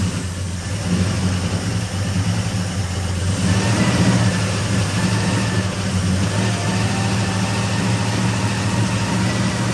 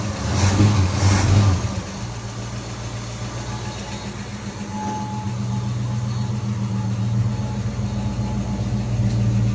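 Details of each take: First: 1964 Ford Fairlane V8 barn find, 30,000 original miles, sat about 13 years, new battery, before points adjustment: uneven idle with stumbling, irregular beat and rough lopes; misfire from contact-breaker points gapped too wide. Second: 1964 Ford Fairlane V8 barn find, 30,000 original miles, sat about 13 years, after regapping too-wide breaker points: early rev then steady low idle with even, smooth beat; all cylinders firing cleanly.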